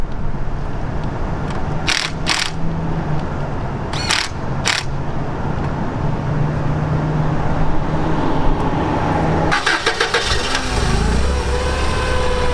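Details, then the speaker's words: Toyota 8 Series, 4Y engine, after tune-up replacing distributor cap, rotor, wires and plugs: starter clicks, then engine fires and settles into a smooth, even idle without stumble; normal idle. "that sounds a whole lot better okay youtube"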